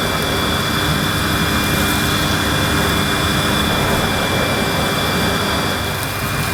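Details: Panasonic MC-E862 bagged cylinder vacuum, bought new in box, in a final demo picking up dirt on deep pile carpet: a steady, even motor roar with a constant high whine and no surging or rattles; a relatively quiet, good performer running normally.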